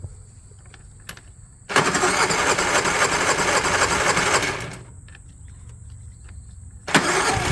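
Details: Honda EU3000is inverter generator just after carburetor replacement (16100-ZL0-D66): catches quickly and settles into a smooth, steady run with no stumbling or surging; no leaks found.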